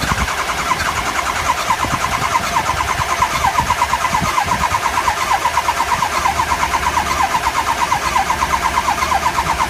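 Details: 2003 Ford 6.0 diesel with the HPOP replaced, IPR and FICM checked OK: steady starter cranking at roughly three turns a second with even compression pulses that never catches; cranks, no start, cause unknown.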